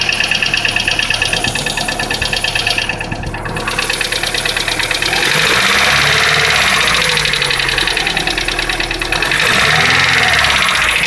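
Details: Lanos 1.5 engine knocking when cold: fast, fairly regular tapping at about three knocks a second over a rough cold idle. Cause unknown.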